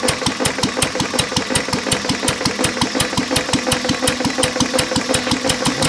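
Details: Lister throttle-fed single-flywheel engine, believed 1920s–30s, with magneto, idle set low; block also cracked with water in the oil: a slow idle with a sharp metallic knock every turn, about three a second, a worn rod bearing awaiting replacement.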